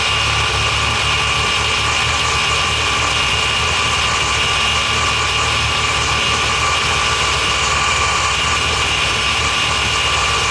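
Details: Mazda FD RX-7 rotary after rebuild and engine install following compression loss, first start with exhaust attached: steady, fairly high buzzy idle with hissy top end, no knocks or misses; runs smoothly.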